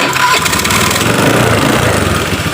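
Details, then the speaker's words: Honda Beat FI scooter after repair of a worn decompression lever (rocker arm pad built up) that had made electric and kick starting heavy: starter spins freely, engine catches at once and settles into a steady, even run; normal electric start. "Terus kita coba bunyikan kontak on, lalu double starter. Kita coba lagi, lalu kita hidupkan."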